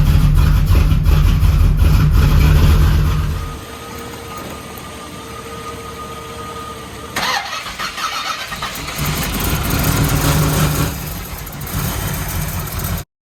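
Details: Supercharged Z28 first fire after reassembly: cranks and catches, runs loud and uneven, then settles to a lumpy, unsettled idle; still needs carb tuning and timing adjustment.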